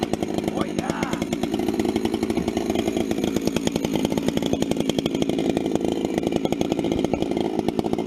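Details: Vintage 266 chainsaw, recently started after sitting a while, bucking firewood: crisp, even two-stroke note pulling through the wood with no bogging or stumbling; healthy saw cutting well under load.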